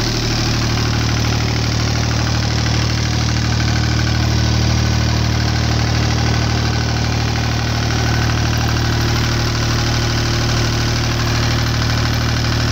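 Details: Deutz 2009L03 3-cylinder direct-injected diesel on a test stand, cold at about 52°F after start; steady even low idle with light injection clatter, no misses or knocks. Normal cold idle.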